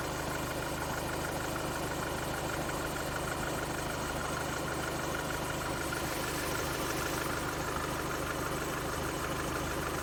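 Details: Skoda Octavia A7 1.6 TDI (2016) diesel at idle: faint, uneven ticking chatter about three times a second over the steady clatter; owner suspects a belt-related noise, source unconfirmed.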